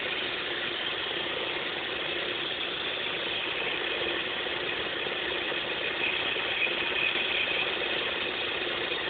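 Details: Opel X20XEV petrol engine idling with a fast, slightly uneven ratcheting tick over a bright mechanical hum; cause unidentified.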